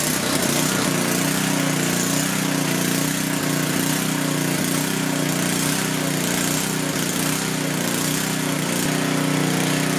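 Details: Coleman Powermate 6250 generator, 10 hp Tecumseh engine, powering flood lights: steady, even drone at constant speed with no misses or surging; running healthy under load.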